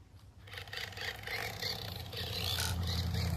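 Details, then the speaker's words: Traxxas LaTrax Rally RC car, new, running after a small rock was poked out from underneath: gritty scraping rasp over the motor's low hum; something still rubbing, cause not yet found. "still still sounds like there's something going on in there"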